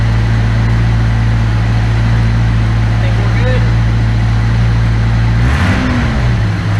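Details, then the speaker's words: Engine idling after replacing the fuel injectors with OEM-spec parts; it idled high briefly then settled to a steady, even low idle with no misses or ticks and no fuel leaks. "all right the injectors are in and she runs great so cranked right up it idled high for a little bit but then it just kind of scenes itself out"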